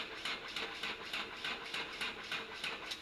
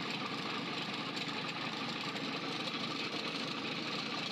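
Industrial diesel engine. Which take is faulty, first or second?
first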